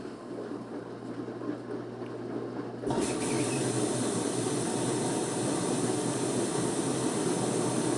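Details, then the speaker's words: Washer, customer complaint of no water entering: door locks, drum rotates sensing the load, then the water valve opens with a low hum and a steady rushing hiss of water filling until the pressure switch is satisfied. Fill tests normal. "water's entering into washing machine pressure switch has been satisfied water revolve is turn on again due to pressure switch"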